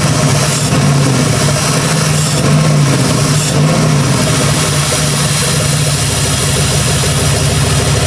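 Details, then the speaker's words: Jeep Grand Cherokee with freshly rebuilt 4.7 H.O. V8, first run after installation: steady idle broken by occasional uneven stumbles; suspected misfire not yet traced, coils already swapped, seems better than before. "no water all right well we run I feel like I hear a Miss but he been throwing coils at it so we'll get to figure it out [Music] it's got a Miss I feel like it's better than it [Music] [Music] was"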